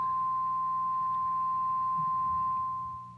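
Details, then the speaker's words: Fender '63 Vibroverb reissue amp: playing a note with reverb up, a pure steady high ring holds about three seconds and builds even with volume down, stopping when reverb is lowered or the tank pressed. Reverb tank feedback suspected; amplifier ringing tone. "if i play a note at all [Music] you can hear the ring coming in i've turned the volume on the amp all the way down and it'll just continue to build"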